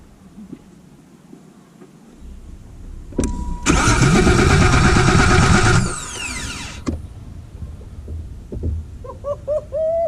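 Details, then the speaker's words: BMW E28 with newly installed starter cranks steadily at about four turns a second for roughly two seconds but never fires; no spark found, cause still suspected, not confirmed. "Okay, so I did some troubleshooting and looking up some stuff, and I noticed that the car wasn't getting any spark, at least to my knowledge."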